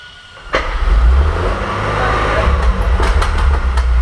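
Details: First start after rebuild of a 1927 Avions Voisin C11 2.3-litre sleeve-valve six, not run for about 60 years: catches within half a second and settles into a deep, even low rumble with no knocks or misses.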